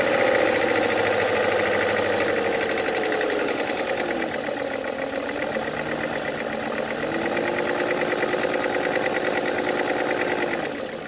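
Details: BMW E39 M62/M62TU petrol V8, 225k miles, chain guides and Vanos seals done 8k miles earlier, knock appeared after heavy cranking and cam sensor replacement: fast, somewhat uneven ticking knock at idle; lifter knock or piston slap suspected, unconfirmed.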